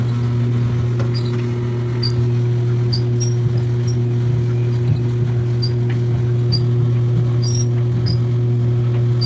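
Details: Samsung dryer running: steady low drum hum with short, irregular high chirps about every second; a squeak from the dryer's rotating parts inside.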